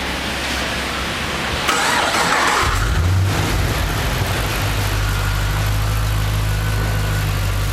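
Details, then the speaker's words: Holden SS Commodore 6.0 V8 just after DOD lifter replacement with heads refitted: catches after a brief crank and settles into a smooth, even idle with steady low rumble; was clattery before with the old lifters, now quiet. "Yeah, I think that's a good one. Anyways, pretty quiet now. It was all clattery before, and she goes."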